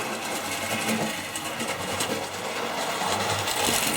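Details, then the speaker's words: Old Tri-ang TransContinental Pacific model loco: whirring motor with uneven crackly surges and stuttering speed, constant sparking; owner unsure whether a short is in the track or the loco. "look constant Sparks just there it's really bad"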